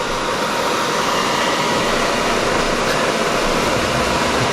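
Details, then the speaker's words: EcoFlow Delta 1300 power station powering electric heaters at about 1400–2000 W output: steady loud rushing fan noise with no pulsing or rattle; cooling fans working hard under heavy load. "see that these fans are just really loud they're really loud it's kind of annoying"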